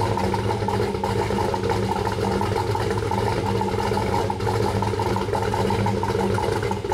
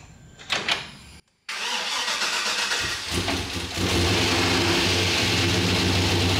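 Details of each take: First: Turbo Trailblazer SS, 5.3L LMF with Texas Speed stage 3 low-lift turbo cam, E85, first start before tuning: deep choppy loping idle about three pulses a second, held steady; cammed engine idling fine. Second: Turbo Trailblazer SS first start, 5.3L LMF with Stage 3 turbo cam on E85, untuned: short crank, catches, then a lumpy idle that dips before steadying; not running cleanly yet.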